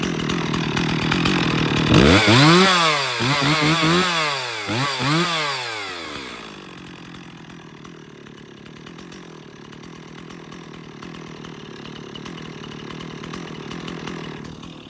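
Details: Stihl 026 chainsaw: several sharp throttle blips rising and falling cleanly, then settling to a steady quiet idle; the saw revs and returns normally.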